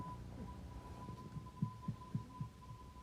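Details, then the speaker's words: Hyundai Accent rear suspension knocking on bumps at low speed, right wheel: four dull low thuds about a quarter second apart over steady hum; cause found to be worn rear sway bar bushings, not the strut already replaced. "да это тоже самый столько был который у нас тут по кочкам едешь медленно удара тык тык тык тык на столе в эту правое колесо да это он и есть"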